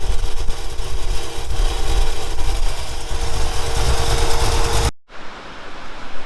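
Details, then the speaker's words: 1965 Ford F100 V8 with a rebuilt Edelbrock 750 carburetor, recorded outdoors in wind: a low, even idle rumble with no knocks or misses, then shut off. It starts better than ever, though the idle is possibly a little low and due to be raised. "But just she starts up good. She don't run too bad. Idle's a little low, possibly."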